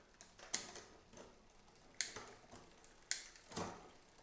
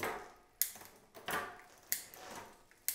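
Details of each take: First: New Cyrusher Bandit e-bike during assembly, cranks turned. Sharp, uneven metallic ticks about every second as the chain tries to climb to the next gear; rear derailleur indexing is off, adjusted with the barrel adjuster. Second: New Cyrusher Bandit e-bike after barrel adjuster tweak on rear derailleur: crisp single clicks as each gear drops, no chatter or grinding; indexing now shifting cleanly.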